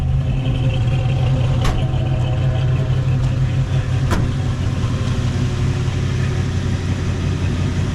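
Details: 1977 Jeep Cherokee Chief with spark and fuel issues, warmed to 195 degrees with the choke that should be fully open: deep, uneven idle with an irregular lope of about three beats a second; running rough, cause unconfirmed.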